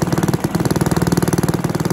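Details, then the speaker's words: Barford cement mixer with a Villiers 10 single-cylinder petrol engine (no choke, compression not excellent) running with a rapid, even, steady putt-putt; normal running. "oh that's running that's good that's the stars you can hear that running maybe one of the easiest engines i've ever come across i wouldn't say the compression's excellent on it"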